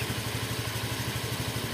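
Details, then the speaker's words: Honda Vario 125 after engine rebuild: steady light tok-tok tapping over the idle, keeping time with engine speed, from a worn CVT roller clip that was left unreplaced to save budget. "bunyi tok tok tok tok tok itu di bagian klip rollernya kita enggak ada penggantian di situ karena motornya ee mintanya itu kalau bisa diminimkan budgetnya"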